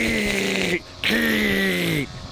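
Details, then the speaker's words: Small two-stroke 100 unit with a gear head: it screams up in two short bursts and sags back, revving freely with no load. The clutch is shot and slips, so the gear head is not engaged. "this clutch on this 100 is shot so it will not it will not engage the gear head you can hear it going"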